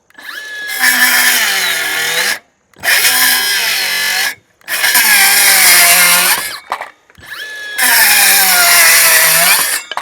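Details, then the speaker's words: New Milwaukee M12 Fuel 5-inch cordless circular saw, four cuts in thick stock: high whine sags in pitch under load each time; bogging, lacks power for this material. "now is this not meant for this nah it's definitely not meant for this you can hear it bogging down it just doesn't have the O that you need for something like this"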